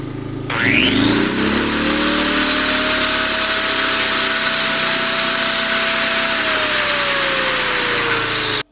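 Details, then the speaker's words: Yamaha 2000 generator, bought as a non-runner, with the low-oil alert switch wire unplugged to bypass it: engine catches, pitch climbs quickly and it settles to a steady, even whine with no surging or misfire; it runs well. "like this thing runs well it makes power I mean it cost me 40 bucks really can't complain about that"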